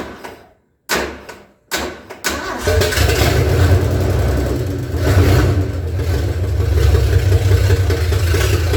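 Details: 1978 Ford F150 revived from long storage, with no throttle cable fitted, cranked from under the hood with the key on: it catches and runs only on throttle, the beat lumpy and sagging as revs drop. It won't idle; cause not confirmed.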